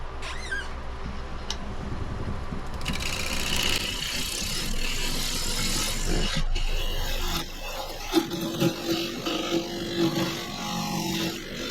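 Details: Woodturning a cedar crotch log on the lathe just after resharpening the gouge: steady smooth hiss and shaving, less tearing; sharp gouge cutting cleanly.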